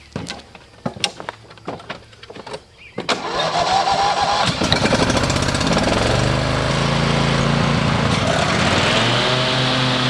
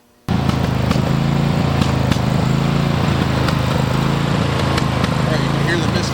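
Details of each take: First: Riding mower with Briggs and Stratton 23 hp engine, started after replacing the ignition coils to cure rough idle, misfire and stalling: a few clicks and clunks, then it catches and runs steady and even. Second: Riding mower with a Briggs & Stratton 23 hp engine: idles with uneven stumbling beat, a misfire from a failing ignition coil; stalls when hot, won't restart, vibrates and bogs, losing power.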